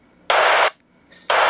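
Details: UHF 449.475 MHz in the UK: about half-second bursts of hiss repeating roughly once a second over a quiet channel. Heard 24 hours a day across about 25 kHz of bandwidth; the source of the interference is unknown.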